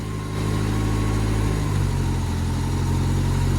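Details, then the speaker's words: Ford Escort RS Turbo S2 engine after overhaul and new number-one spark plug, warm; steady idle picking up cleanly on a light rev, no stumble or miss, running smooth on all cylinders. "that sounds beautiful"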